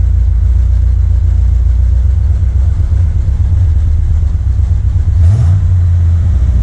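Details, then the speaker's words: 1979 Corvette L82 after smoke testing found no vacuum leak: a deep idle with slight unevenness and a stumble; owner suspects a carburetor idle/transfer circuit problem, RPM gauge reading wrong. "This is the closest to an idle it's ever been, but it's still like stumbling."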